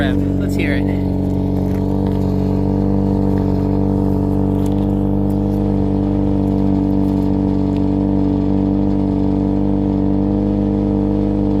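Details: Saturn Ion Redline after an exhaust leak repair, where warped flanges got two homemade gaskets plus RTV: a steady, even idle with a smooth low drone and no puffing or ticking from the joints; it sounds sealed.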